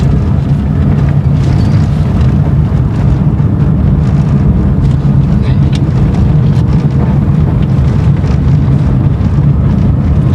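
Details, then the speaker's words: 2012 Corsa in fourth gear at about 20 km/h on a straight: steady low road rumble with no clicking or knocking from the front wheel, which had earlier been creaking even in neutral. "ver se vai fazer barulho praticamente que 20 por hora E aí e nenhum barulho nem nem um instalado nada a"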